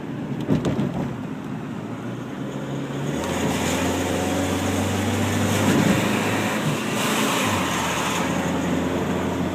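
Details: 1992 Honda Accord EX-R, dry staticky crackle from front end only under load or climbing steep inclines; catalytic converter and flex pipe already replaced without fixing it; owner also tried exhaust manifold–alternator heat shield; cause undiagnosed.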